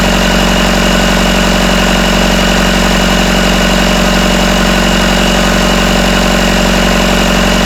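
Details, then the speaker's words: Rebuilt Isuzu 4BD1T diesel in a Hitachi EX120 excavator, first start, about 1250 rpm, still warming (about 100°): steady even idle with smooth regular clatter, no rattle after loose rear bolts were tightened; healthy. "let me tighten these up just uh putting in a throttle lever here okay okay let's see if that sounds it's not rattling it's about 1250 the"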